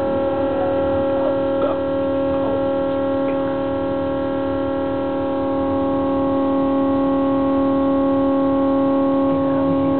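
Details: New LG refrigerator making a loud, steady air-raid-siren-like wailing drone with several stacked tones, usually starting around 1–2 AM; cause unknown, owner blames bad design.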